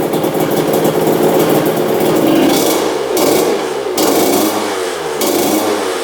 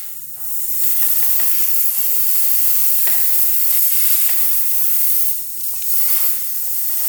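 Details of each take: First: 2000 Honda CR125 two-stroke after fixing disconnected power valves and adding fresh 40:1 fuel: crisp revving rising and falling cleanly with throttle, idle lowered from too high; runs properly, slight top-end bog before warm-up. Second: 2000 Honda CR125 two-stroke with a severe bog, engine off, crankcase pressure-tested: a steady sharp hiss as air leaks out right away at the crank seal under the cover.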